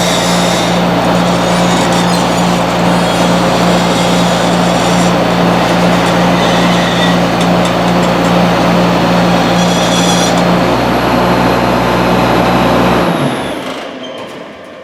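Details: Tracked machine running: a steady, loud squeal at one pitch until shutdown, coming from the track undercarriage near the sprocket; rollers thought worn and in need of replacement.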